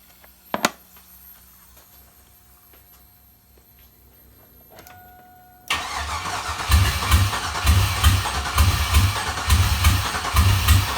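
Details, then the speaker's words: Junkyard GM 5.3 V8 for a 1955 Buick Special swap, first start after compression test: lumpy, uneven idle pulsing about once a second; sticky injectors, maybe only three working, owner hopes cranking frees them; rough running. "sounds like the injectors are sticky but they are starting to free up so i'm going to keep cranking it a few times see if i can get away with not having to pull the rails"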